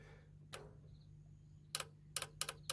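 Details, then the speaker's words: John Deere L110 lawn tractor that sat for about 3 years: the carburetor fuel shutoff solenoid gives sharp dry clicks over a low steady hum, snapping in and out; working normally. "so we know that's working cuz they stuff out too and they stop um fuel going up your main jet on your carb so that all seems to be working"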